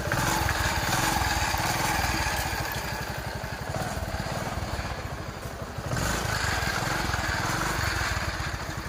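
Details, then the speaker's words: TVS XL 100 Heavy Duty single-cylinder engine after valve tappet adjustment and tappet cover refitted: steady, even idle putter with no ticking from the valve cover; tappet noise problem solved, engine sounds healthy. "अब देखिए उस गाड़ी को live start करके उसका volume में आपको दिखा देता हूं प्रॉब्लम सॉल्व हो गया"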